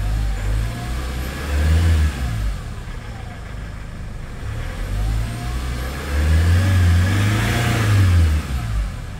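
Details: Hyundai Starex diesel after a no-start fix guided by scanner, restarted: steady low rumble, revs swelling and settling without misses or stumbles; engine runs healthy and even.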